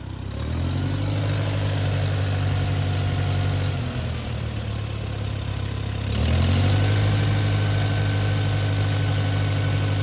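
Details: 1959 Case 300 tractor at full throttle after generator repair: deep even engine beat, briefly easing and picking back up, no misses or knocks; charging voltage normal at full throttle, spikes near 15 V at idle.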